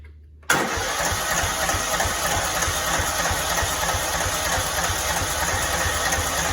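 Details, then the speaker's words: Cub Cadet 2166, 16hp Kohler Command single-cylinder, after brake switch activator fix, primed with gas, low tank tipped: catches at once and settles to a steady, even putter with no misses or surging. Normal running. "So as you see, it was going. It's going. It sounds good."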